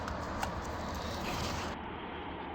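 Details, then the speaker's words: Polestar 2 front strut bearing, removed and turned by hand: rough, gritty grinding with sharp clicks; the plastic bearing is broken with loose and missing balls, causing popping over bumps. "And this is an upper and lower strut bearing, and as you can hear, it's making noise."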